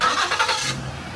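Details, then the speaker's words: Crank-no-start car that had flooded cylinders, cleared by cranking at full throttle to disable the injectors: after a short burst of cranking without throttle, the engine catches and settles into a steady low idle; normal engine start. "So I did that a couple times. I full throttled it, cranked it, so I will disable the injectors. Then I did it without full throttling it, and it cranked right up."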